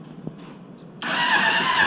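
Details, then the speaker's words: Honda CBR600RR engine in off-road go-kart, rewired harness with no key: brief steady starter whirr, no firing; cranks no start with still no spark, owner suspects a missing ground or a sensor. "I so last time I did I didn't have spark but I see yeah still no spark that's something I can work on"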